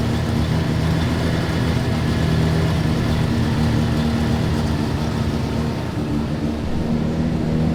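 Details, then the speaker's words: Rotary-engined Mazda FB (RX-7) after its first startup, fixed by adjusting fuel settings via laptop: a busy, buzzy, even note holding steady through idle and light throttle blips. It runs strong and healthy. "so after the first startup you guys can see it's running good running strong"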